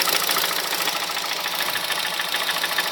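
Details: 2006 Honda Civic Hybrid 1.3 IMA at idle: fast metallic knocking about three to four times a second over a buzzy idle, silent above 2200 rpm; cause unknown (camshaft, valves, bearings, timing chain or piston slap suspected).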